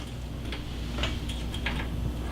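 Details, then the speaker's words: Oven set to bake at 300 degrees, bake element not heating with no voltage at the element though the unit has 247 V: a few light irregular clicks over low hum; control board suspected. "but the bake is on you hear it a little clicking"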